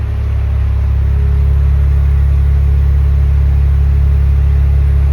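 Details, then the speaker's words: Mazda RX7 FC3S rotary engine idling smoothly with steady even rumble after stock ECU reset and relearn fixed a rough idle. "idling very very nice"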